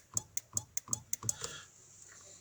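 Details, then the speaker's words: Skoda Octavia 2 FL, new horn relay fitted: crisp relay clicks in a short burst but no horn sound; suspected break in wiring harness to the horns, not confirmed. "Klika, ale nadal nie ma sygnału."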